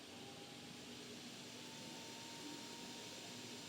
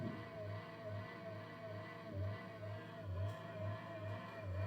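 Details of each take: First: Monster Abra A5 V16.6 gaming laptop fan after cleaning maintenance for growling noise and overheating: soft even airy whoosh with faint steady hum, no growl or scraping; fan now kicks in later and runs cleanly. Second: Monster Abra A5 v16.6 gaming laptop cooling fan, noise returned a day after maintenance: wavering hum with a rough low growl pulsing about once a second; worn fan bearing, fan replacement required.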